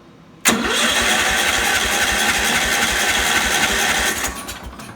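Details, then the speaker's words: 1970 John Deere 140 that won't start; with a little choke and half throttle it cranks steadily about four seconds but never catches. It runs on starter fluid, so ignition is fine, but no gas reaches the carburetor: fuel starvation. "Well, son of a gun, we can get it to run on starter fluid, so we got enough ignition to make that happen, but we can't get it to run on gas."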